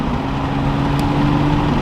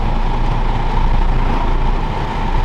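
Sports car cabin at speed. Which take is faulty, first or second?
second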